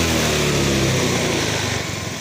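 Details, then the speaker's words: Yamaha Fino 125 scooter held at mid-high rpm sounds flat and strained, pitch sagging instead of climbing. It bogs and feels very sluggish, with occasional low-rpm stumbling. The mechanic suspects fuel supply. "Jadi untuk RPM menengah ke atas ini secara tidak langsung terkadang terasa enak, tapi lebih banyak gak enaknya seperti itu. Jadi tertahan sangat loyo sekali."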